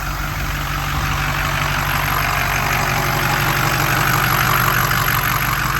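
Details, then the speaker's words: 2006 Ford F-350 6.0 Powerstroke diesel on first start after about five to six years sitting. The previous owner reportedly replaced the high- and low-pressure oil pumps. It shows a steady, even diesel clatter at idle with no stumbles, misses or smoke: normal idle. "and there it is 6-0 F-350 running"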